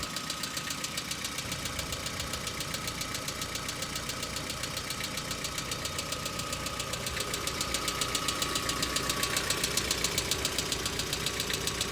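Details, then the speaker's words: Hyundai Accent petrol engine cold-started about a minute earlier: fast, crisp ticking over idle from hydraulic lifters not yet pumped up, knocking, stopping and returning repeatedly; ongoing for three to four years. "Это будет долгоиграющая запись, потому что прыгуны будут то стучать, то останавливаться, то снова стучать, и так будет повторяться много раз."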